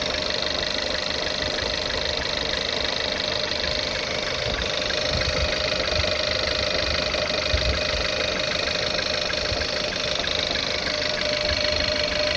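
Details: VW Tiguan 1.4, cold start in the morning: rough idle with an uneven stumble and light knocking about twice a second; cylinder 1 misfire with detonation, backfires heard, owner suspects a leak somewhere.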